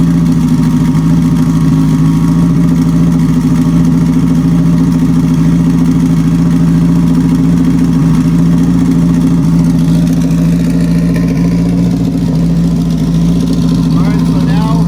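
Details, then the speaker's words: Four-cylinder car after reassembling its sequential transmission with new replacement gears: a steady, even engine hum at constant speed with no stumble, all four cylinders firing smoothly. "so i'm just going to hook this last little breather line up here and hopefully turn the key and hear it run smooth"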